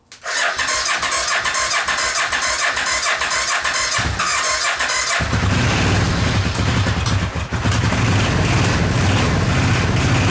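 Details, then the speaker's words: Suzuki VX800 engine in homemade buggy, seventh start attempt: starter whirs, catches around five seconds in and runs loud, popping and wavering without steady idle; carburetor leaking gasoline. "Oh man! Oh, it finally runs! Come on! It just needs some encouragement. Oh, it runs!"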